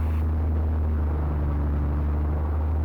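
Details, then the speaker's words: Van's RV-7 aircraft with ULPower 520iSA engine and Airmaster propeller during ground run-up, prop in manual moved coarser and finer; deep steady drone whose pitch shifts slightly; governor works normally. "I can put my controller to manual for the propeller and I can put them coarser and finer let's see if it works yeah you hear the uh you can hear the RPM"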